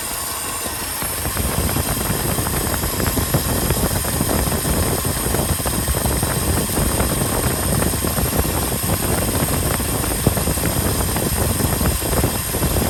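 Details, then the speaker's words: 1967 Ford F-350 Custom truck, sat for years, restarted on its old uncleaned points; settles into a steady rumbling V8 idle with no misfire or knock, runs and revs great; carburetor accelerator pump diaphragm leaking badly. "we put the old points back in there didn't even clean them up and this thing fired right up idled ran great revved up great"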